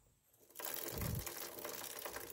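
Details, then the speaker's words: Motorcycle front sprocket and chain while wheel turns: rapid dry clicking and rattle, worse uphill and at high speed, caused by unevenly worn sprocket and chain; fix is flipping the front sprocket. "gear depannya atau di bagian rantainya itu bunyi keletek-kek ketika berjalan dan ketika ditanjakan ataupun dibaah berkecepatan tinggi itu bunyinya semakin terasa ya guys"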